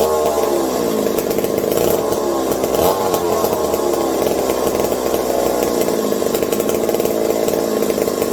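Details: McCulloch 740 chainsaw after coil gap fix and swapped spark plug: sharp busy two-stroke buzz holding steady revs, no stumbling; runs cleanly. Owner hopes no air leaks; loose carb linkage wants to hold about quarter throttle and may run lean.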